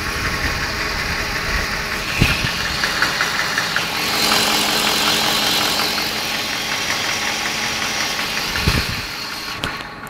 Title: BMW E38 740i , M60B40 strange knocking noise, ticking noise